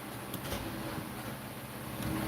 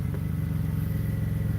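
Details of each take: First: 2008 BMW 328i after alternator replacement: starter drones steadily for about seven seconds turning the engine without catching; battery drained, owner blames an amplifier draining it. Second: 2008 BMW 328i after alternator replacement, air filter out: a smooth, even idle with a steady beat and no knocks or misses. Tach steady, idling slightly high, possibly due to the missing air filter; normal idle.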